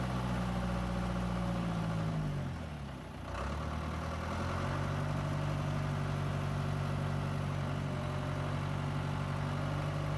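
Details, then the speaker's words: John Deere 2130 diesel tractor after flushing the hydraulics and fitting a new filter and oil. A steady beat sags briefly under load, then recovers. PTO, loader and 3-point hitch now work fully. Before, the loader and hitch were dead, PTO slow and power steering lost. "Look at that. PTO engages right away. It winds right up. I can still use a 3-point hitch, loader, full function."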